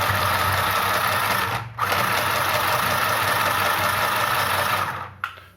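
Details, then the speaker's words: Mini sewing machine after lubricating the shuttle, stitching without pulling the fabric from behind: quick, even needle whirring with brief pauses, no catching or skipping; bobbin no longer jumps and no stitches are missed. "you people observed uh the bobbin didn't really jump and uh also look at the stitches there's no single stitch that was missed"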